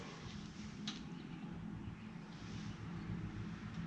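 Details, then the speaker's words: 1950s Agricat mini dozer, freshly rebuilt Briggs and Stratton model 23A, coil ignition, starter generator, no choke or throttle hooked up, cold start about 40 degrees in garage: catches and settles into steady low even putter, no knocks. "all right so we're gonna do a cold start as you can see it is cold it's about 40 degrees out here in the garage so we're going to try to fire it up now"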